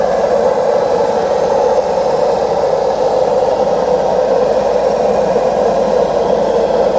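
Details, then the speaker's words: Washing machine on spin: loud, steady jet-turbine roar with no rhythm throughout the spin; worn drum bearings, both bearings and the seal need replacing. "Cuando ustedes se encuentren con este ruido, es el famoso turbina de avión, es porque tiene problema en los rodamientos. O sea, hay que cambiar los dos rodamientos y el retorno."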